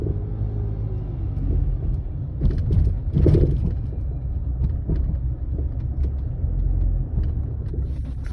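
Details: Land Rover Freelander 2 driving: low road rumble with a few dull thuds as wheels hit bumps and joints; silent blocks, bearings, stabilizer link checked fine; rear shock absorber knock.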